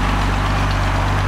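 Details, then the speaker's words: Classic Mercedes-Benz 230SL Pagoda W113 started from scratch: steady, even low idle with a smooth unbroken beat and no ticks or knocks, listened to at the front of the car; normal healthy idle. "we're ticking her over very nice night we're just listening have a quick look at the front of the car we'll listen for any any noises nothing"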